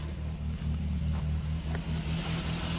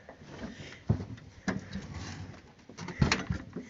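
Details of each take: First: Barn-find Triumph Spitfire idling just after first start in about 40 years, carburettors rebuilt and coil lead reconnected: steady, even low note with a smooth regular firing pulse, no knocks or misses; carburettor still needs tuning. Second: Barn-find Triumph Spitfire with freshly rebuilt, previously clogged carburettors: sluggish starter turns the engine in slow, uneven pulses, about two a second, never catching, as the battery is dead; slow crank before jumper cables are hooked up.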